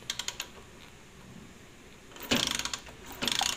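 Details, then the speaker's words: Rusi 125 motorcycle that would not start for lack of spark, after wiring repair (fault at the pulser): sharp, rapid, loud snapping ticks at the spark plug while cranking show a strong spark. "Ayan Uy ayan lakas ng kuryente guys Ayan oh kahit malayo talagang pumipitik siya ibig sabihin ay naol na natin yung kanyang problema ay sa kanyang kon sa may kanyang pulser"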